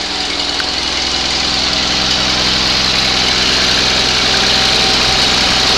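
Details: 20HP Onan engine, first start after a rebuild: steady, even putter at constant speed with a hissy top end, no misses, knocks or hunting; normal running.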